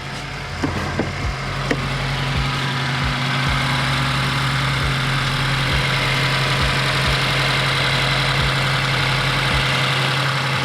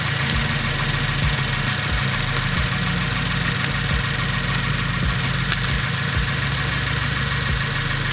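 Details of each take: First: 2015+ Subaru WRX with an aftermarket J-pipe, after sealing an exhaust leak with copper gasket maker and replacing pop clips: steady, even idle with a smooth low drone. There is much less rattle and air noise underneath, and the leak is fixed. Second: Subaru WRX (2015+) idling loud with rough rattly puffing and hiss of escaping air after fitting aftermarket J-pipe; exhaust leak at turbo outlet flange, soap bubbles confirm; fixed with copper gasket maker.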